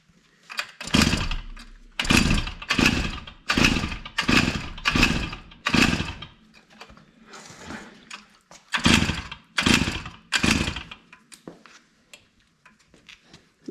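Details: K&S Bike Machine two-stroke engine on an older Schwinn bicycle, running 32:1 fuel with the choke on: buzzy bursts about once a second that fade and return, surging without holding a steady run, with fuel leaking.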